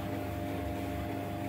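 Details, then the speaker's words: 15-year-old White Knight 37AW tumble dryer after repair of a grinding noise with worn parts replaced, running over half an hour: smooth, even low hum with no rumble or knock, much better than before; normal drum rotation. "um so it's running it's been on now for over half an hour and sounds a lot better than it used to"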